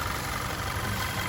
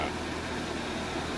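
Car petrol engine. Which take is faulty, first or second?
second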